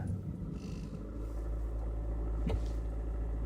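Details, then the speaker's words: Hyundai Elantra, cold start below 0 °C coolant, in neutral: idle drops to about 900 rpm while rolling, then climbs to 1200–1500 rpm as the car stops with light brake; TPS unchanged; persists until coolant reaches operating temperature, cause unknown. "It goes up. So again. Right now it's in neutral. I'm rolling. Car is about to come to a complete stop. Gently touch the brake. And there you go. It goes up."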